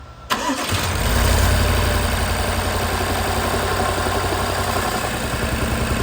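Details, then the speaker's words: BMW N63 V8: engine idles with a slightly uneven, stumbling beat; cylinder four by the firewall gets no spark due to a bad DME, fixed by DME replacement and programming. "the bad cylinder that's giving us problems is four which is over here by the firewall"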